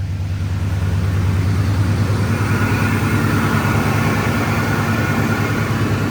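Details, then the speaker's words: 2002 Ford F-150 Harley-Davidson edition supercharged, just fitted with a modified cold air intake, started cold: deep, even V8 idle with a steady regular beat and no knocks or rattles, a healthy cold idle. "it's still cold so I'm not going to do any hard revving"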